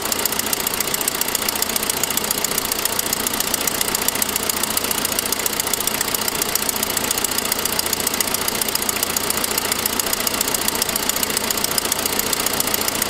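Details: 2006 Saab 9-5 idling with a sharp, regular ticking about two per second; exhaust manifold leak from a broken forwardmost exhaust stud, not a lifter; the noise developed after an earlier noisier turbo sound.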